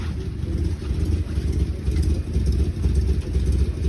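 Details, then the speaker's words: Cold petrol engine idling, said to run well: a low, steady rumble with an even beat and no knocks or misses; a normal, healthy cold idle. "Benim motor topu gibi. Böyle ses yapıyor"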